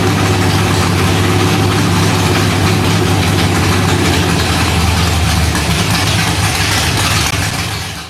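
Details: Freshly rebuilt Holden 308 V8 on a part chassis, first start after rebuild: deep, steady burble with an even firing rhythm and no knocks or misses; idling smoothly.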